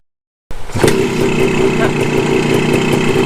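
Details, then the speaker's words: 1974 Honda MT250 Elsinore two-stroke after correcting a points plate installed 180 degrees backwards, which had caused wrong spark timing: fires up and settles into a fairly even idle with a steady note and no misfires; runs much better. "Once I fixed that, the engine actually ran much better, sounded different, and I was able to take it on a real test ride."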